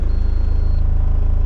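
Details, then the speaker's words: Home-built motorhome's diesel engine at first start after the build: starts first time and settles into a deep, even idle throb with no knocks or misses. It runs normally, with only interior items rattling. "Started first time."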